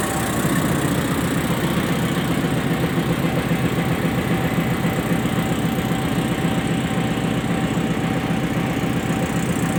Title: 350 dn chaman passenger stationed at baleli railway station. strange noise coming from RGE 20 5117